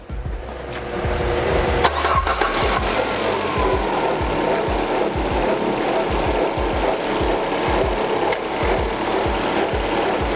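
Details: Peugeot 308 at 30,000 km, noise on first start of the day, timing belt cover removed: engine cranks and runs with uneven slapping, rubbing rasp as the slack, low-tension timing belt rubs on its cover.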